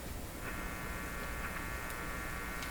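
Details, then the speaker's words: GE 913-D tube clock radio: steady low buzzy, raspy hum because the volume-control wiper lifts off at the end of its travel, leaving the amplifier input floating as an antenna picking up stray hum. "And this is an antenna. It's just a wire sticking out in space. Okay, lousy antenna. But it's going to pick up stuff like this."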